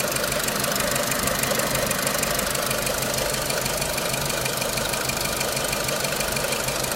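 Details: 2006 Renault Clio 3 1.4 16v petrol, 174,000 km, 5W40 oil, owner suspects oil too thin; crisp regular tick about three per second at idle; engine ticking, cause unknown.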